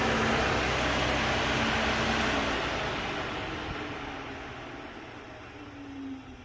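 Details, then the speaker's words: Nissan S12 200SX electric radiator fans tested at accessory via the old temperature relay after fitting an S13 aluminum 3-core radiator; even whoosh with a low hum winding down, no scraping; fans still work. "Sweet. Alright, so that all still works. Happy with that."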